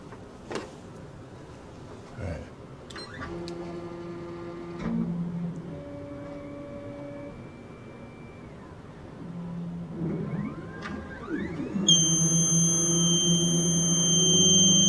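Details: Gendex Orthoralix 9200 DDE panoramic/ceph X-ray after repositioning the optical switch for a "ceph collimator" fault: clicks, motors whir in rising and falling sweeps, then steady tone with a high beep; drive appears to run normally.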